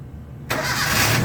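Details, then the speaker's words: Gasoline engine (Toyota) that was hard starting, after the starter motor and main cable were replaced and the body ground fixed: one short crank catches at once into a steady idle. The battery reads about 13 volts. "So one click na siya. Paki-off uli sa K. Start. No hesitation. Umandar kaagad."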